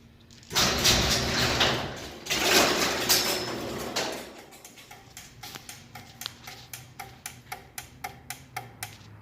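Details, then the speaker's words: Garage door opener clicks about twice a second after a brief run and the door won't close; a dirty safety sensor lens from years of debris buildup blocks the sensor signal. "I'm gonna press it and you can see right away you can hear the clicking"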